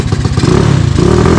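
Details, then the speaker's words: Tao Tao 250 YFZ quad with a newly fitted replacement engine, not yet warm, running the D7 spark plug: short throttle blips falter and chop out instead of climbing cleanly; cause not yet found. "Okay, so before when I would rev it, it would like chop out."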